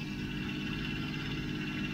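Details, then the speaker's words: 1992 Mercedes 600SEL V12 at cold idle after the exhaust repair: steady idle with a constant droning whir from the secondary air pump. It is expected to run quiet once warm and the pump shuts off; the welded area will be checked for exhaust leaks. "my pus is that now when the engine warms up and the air pump shuts off it's going to run quiet and not going to disturb anybody"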